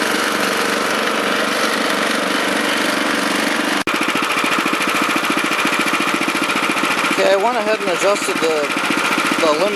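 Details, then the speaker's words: Honda FR600 5.5 hp tiller: small engine screaming at high steady speed, fast even firing, pitch wavering near end; revs too high. "i'm going to go ahead and and tighten that up a little bit so it doesn't rev so high because i think it revs way too high and i don't see a need for it to run that fast"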